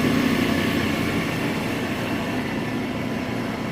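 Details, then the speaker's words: Smithy AutoMate CNC LT1440 lathe after spindle replacement with new bearings, running at about 1800 rpm, about 65 dB versus 83 before; even, steady whir with faint constant tone, no knocking or grinding; spindle healthy. "What a difference. 65 decibels about. I'll switch to the 70 mode. So yeah, 65."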